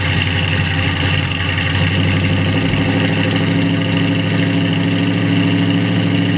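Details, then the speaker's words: 1937 Buick Century street rod, 400 cu in small-block Chevy, Edelbrock 600 carburetor without choke, first spring cold start: steady low lumpy uneven idle, cold-blooded needing pumping and long cranking; oil pressure good. "this thing's cold-blooded it's got an elbrak 600 carburetor without a choke so it's kind of cold-blooded so i might have to pump it and crank it for quite a while"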